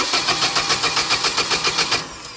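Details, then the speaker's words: Hyundai 25L, key held on until the power relay times out: even starter cranking at about seven beats a second for two seconds, never catching. With no power to cam, crank sensors or coils there is no spark or fuel control, so it cranks with no start. "well, there's not going to be no cam or crank input, and we're not going to have any spark, and we're not going to have any fuel control. So, the engine is just solely going to crank."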